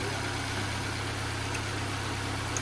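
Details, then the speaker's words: Nissan Sentra that previously would not start, after ignition coils regained power: even settled idle, smooth low drone, no misses, knocks or hunting over background hiss; check engine light still on, reported overheating. "Kuha na kuha. Wang problema dating ayaw umandar."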